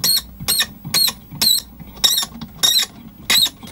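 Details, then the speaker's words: Pioneer SX-450 receiver, rusty: high chirpy squeaks in short bursts, about seven in four seconds, as the tuning dial turns; the brass shaft is seizing in its brass collet, not the dial string or pulleys. "oh that Knob Off it's just the shaft is seizing on there there's like a brass shaft goes through another little brass collet thing th"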